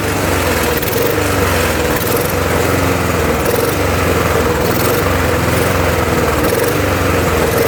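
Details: Murray mower, Tecumseh engine swapped for a Briggs (stated as "brace"), with a second carburetor fitted after the first was cleaned four times including ultrasonic: engine surges and sags about every second, never steady; hunting, cause not found.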